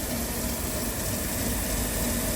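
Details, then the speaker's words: 2006 Land Rover LR3 SE V6 after power steering pump, reservoir and hose replacement: even running-engine hum with no whine or groan from new pump, dead quiet; normal power steering pump. "Got this back on. That's looking beautiful. Wow. It's just dead quiet."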